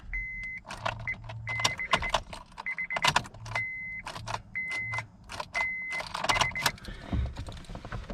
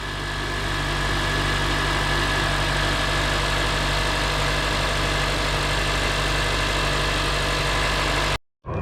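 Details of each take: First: 2006 Honda Accord LX, manual (foot on clutch), charged battery, good fuses, relay swapped: key turn and dash chime but no cranking; starter motor failed (bad cables also considered), replaced with new starter. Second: 2006 Honda Accord LX after starter motor replacement and battery reconnection: smooth, even idle hum with a steady low drone and no ticks or stumbles before the engine cuts off; normal idle.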